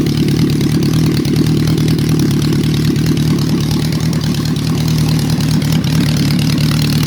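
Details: Warm engine: steady, even four-cylinder idle with a smooth low hum and no misses, knocks or hunting; running cleanly.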